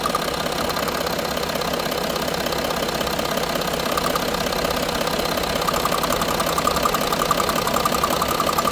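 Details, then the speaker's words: Range Rover Sport diesel at idle: fast light fluttering tick over the clatter from the EGR vacuum solenoid; customer confirms it is his ticking noise, which goes away when the solenoid is held or its vacuum disconnected. "Right, so the customer's just here with me, and he said, yeah, that's the same noise that he's been getting, that fluttery noise, and when it goes away."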